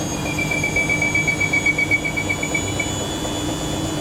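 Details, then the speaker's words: Siemens IQ300 WD14H320GB/02 washer dryer (sold as noisy when spinning), spin ramping from 250 to about 800 RPM: high-pitched squeak pulsing about four times a second; suspected from the shock absorbers, not confirmed. "Probably squeak from the shock absorbers there."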